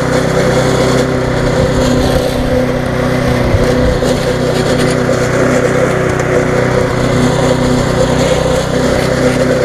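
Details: Viking (Stihl) mulching mower, Briggs engine with refurbished classic carb, after repair: smooth, even single-cylinder drone holding speed while cutting grass, no misses, surging or knocks, running well, slightly fast.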